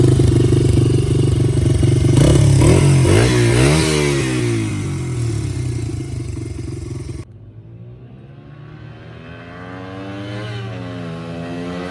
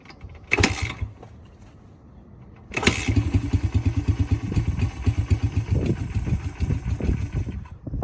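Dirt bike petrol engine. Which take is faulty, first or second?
second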